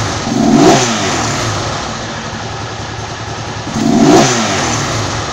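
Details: Honda CG rebuilt to 260 cc (262 cc project) single-cylinder, engine just finished: ticks over low and even at about 1,500 rpm, two quick throttle blips rise and settle cleanly; healthy normal idle.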